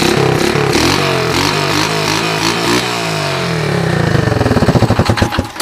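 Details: Honda TRX125 with 150 psi compression, after cleaning the carb, correcting spacer orientation and bolting the carb on properly, on OEM wiring: single cylinder catches and runs with a steady thumping beat, blips and dies away; runs, though smoky.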